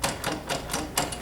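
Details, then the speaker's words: Schwinn AC Performance Plus chain or Carbon Blue belt exercise bike: sharp dull clunks about four times a second as bike rocks; fixed by flywheel adjustment; loose drive chain or belt clunk. "in order to resolve the clunking noise that you just heard what we have to do is make adjustments to the flywheel"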